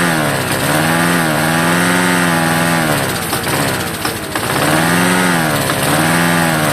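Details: Vintage Homelite yard-sale find: small engine catches and revs briefly, sagging and surging without settling to a steady idle, won't run on its own; has spark and compression, carburetor cleaning or a carburetor kit suspected.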